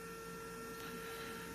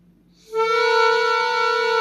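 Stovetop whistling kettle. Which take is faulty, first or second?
first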